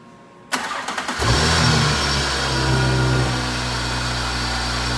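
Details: 2019 Audi S4 B9, first start with bumper off after installing Carbnlab intercooler and charge pipes, listening for leaks: cranks and catches fast, short rev flare, then smooth steady idle with no hiss or whistle; intake sealed.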